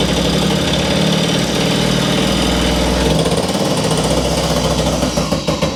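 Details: Puch Maxi two-stroke moped, formerly a non-runner, after fitting a new spark plug: rough, fast popping beat that holds steady without cutting out and smokes; firing healthily, normal running.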